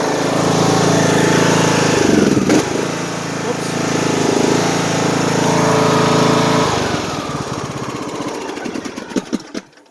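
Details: Craftsman T150 riding mower, engine already warm, running at low rpm after an oil change: single-cylinder engine in a steady, even idle with a few light throttle changes, no knocking or misfire. Normal idle.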